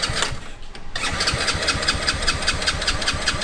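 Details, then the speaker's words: Mini Jeep go-kart, pulse fuel pump, first start on choke: short crank, catches about one second, quick even putter roughly 150 beats a minute; normal cold start on choke. "There it is. Woah. This thing burns like man. Dude, that little muffler back there is Sounds good, dude. It sounds so cute."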